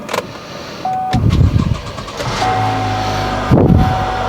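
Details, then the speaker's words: Flood-damaged Mercedes G-Wagon at a Copart yard, said to run and drive: a brief crank, then it catches at once and settles into a steady, even idle with no check engine lights. It starts like a champ. "like a champ."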